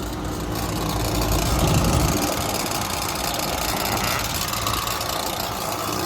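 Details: Carrier HVAC unit, first-stage compressor loud and drawing 14 A versus 11 A for the quiet one, with correct charge and voltage: harsh deep hum with a rough rattle about four beats a second; oil treatment being injected.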